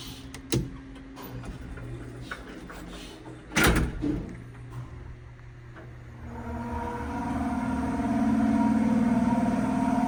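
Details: Small Westinghouse traction shuttle elevator (7th–8th floor): door thuds, then hoist motor runs with loud grating metallic drone, metal-on-metal scraping from bone-dry motor bearings.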